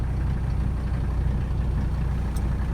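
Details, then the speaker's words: 1985 Mercedes 300D diesel, daily driven, idling with the AC on: steady low diesel clatter at an even idle, no misses or knocks; running normally. "Yeah, it's running. I'm sure you can hear. AC's on."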